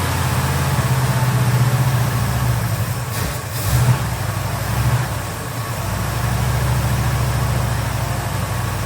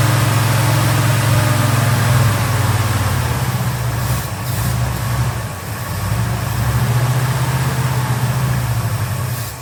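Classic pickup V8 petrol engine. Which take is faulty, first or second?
second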